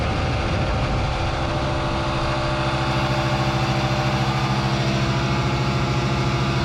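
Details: New air compressor (rated 15.5 A) on a newly installed 240 V 30 A basement circuit: steady motor hum with even pumping pulse, roughly three beats a second, no knocks or rattles; running normally.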